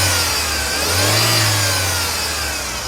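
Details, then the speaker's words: Idling engine with a dry rough whirring from the alternator belt area, traced to a worn main belt tensioner pulley bearing, not the alternator. "o que dinir esse daqui é o esticador principal Então esse barulho fica igual carrinho de flexão"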